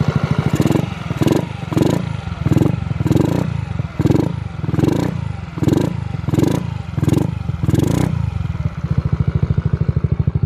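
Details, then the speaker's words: 2022 Honda Ruckus with TRS 9.5-inch stretch and stage 2 performance kit, after install: steady, healthy single-cylinder idle with a faint rhythmic gurgle from the decompression tube breathing, which stops when its exit is covered. "so that's the bike completed sounds good running good you can hear a little not clicking noise but it's a gurgling noise that's a decompression tube"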